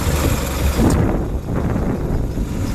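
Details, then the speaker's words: 1967 International Scout 800 pickup, freshly rebuilt, with Flowmaster exhaust, idling: a low, even four-cylinder idle with a steady pulse and no knocks or misses. It runs like a champion, a normal healthy idle. "Pretty much what you see here is what you get. It runs like a champion. I don't know if I forgot to mention that the exhaust is a Flowmaster."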